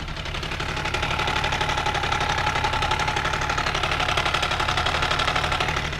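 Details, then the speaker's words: Benelli TNT 899 engine idling, microphone near the engine: a fast, dry metallic clatter from a stretched or out-of-position timing chain; plug, coils and injectors checked, no fault codes. "bruit vient de la chaîne de distribution et bien sûr le moteur est éteint de temps donc quand vous avez ce problème vous pouvez l'identifier"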